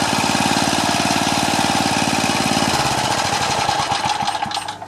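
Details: Craftsman four-stroke edger, Tecumseh engine, throttle about halfway: chugs at steady low rpm, never picks up, then dies away; no throttle control.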